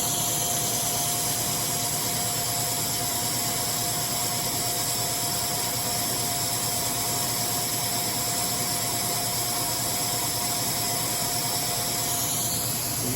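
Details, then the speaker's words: OKK MDV55 50-taper Fanuc CNC vertical machining center, phone placed right on the running spindle: steady even hum, air hiss and constant pure tone, no grinding or rumble; spindle bearings quiet and healthy. "hear the spindle bearings are very quiet."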